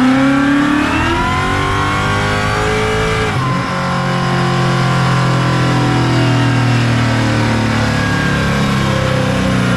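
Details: Ford Fairmont with supercharged Coyote V8 swap on the dyno, ~900 rwhp, new Magnafuel 750 return-style, boost-referenced fuel system: a full-throttle pull climbing smoothly with supercharger whine, no stumble or misfire; fuel pressure verified, normal pull.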